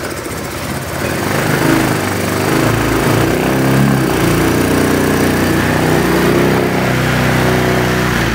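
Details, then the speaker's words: Honda Vario Techno 125 scooter, previously stalled with the injection warning light blinking 52 times, now restarted after the mechanic reconnected the cable: steady, even idle with no misses or knocks, and the injection light no longer blinks. "teman-teman motor sudah kembali hidup dan menyala yang tadinya motor mogok ada kedipan lampu injeksi 52 kali dan sekarang pun lampu injeksinya sudah tidak berkedip lagi"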